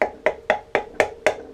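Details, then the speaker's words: Raleigh Militis carbon road bike, stationary, top tube tapped: hollow taps with a buzzy tail as the internally routed brake cable rattles inside the frame against the carbon; later fixed with a cable-damping hack. "I had a rattle. I could actually hear something inside the frame hitting the carbon."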